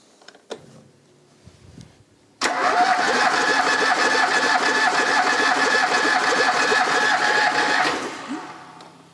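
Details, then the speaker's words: Pinto engine in a DAX car, previously parked 15 years with low compression on cylinders 3 and 4, compression test after running a while: steady three-beat-per-second cranking with even pulses, reading about 11.5–12 kg, good. "that is about the same around 11 and a half to 12 kilograms good"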